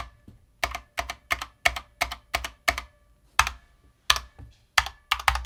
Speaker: Spacebar, all the stabs sound great, but you probably heard a little bit of a hollow sound, maybe some pinging here and there, right? And that is known with this case.